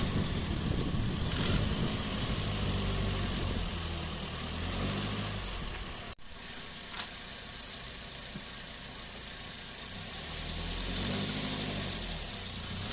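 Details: 2007 Toyota Yaris 1.3 petrol pulling off in low gear under load with a rough, rhythmic rattle. It is normal when revved stationary; tightening the manifold bolts didn't fix it. The serpentine (aux) belt was the diagnosed cause.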